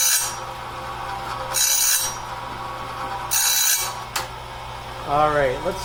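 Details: Clarke heavy-duty sawmill blade sharpener on its first run, doing the first sharpening of a 2-inch-wide, 223-inch bandsaw blade at slow speed, wheel just touching each tooth; light rasping grind in short passes about every two seconds over steady motor hum, cutting normally.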